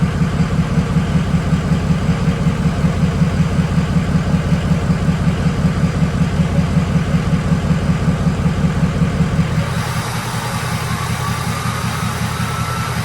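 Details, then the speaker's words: Ford 6.0 Powerstroke with a newly installed KC Stage 2 10-blade turbo, idling about five minutes after install. A steady diesel chug, a high whistle as the VGT vanes close, then a deeper tone as they open. This is a normal relearn. "so what you guys are going to hear when it's going through the relearn process is you'll hear the veins close they hear that high-pitched whistle and then you'll slowly hear them start to open up and you'll get that deep tone"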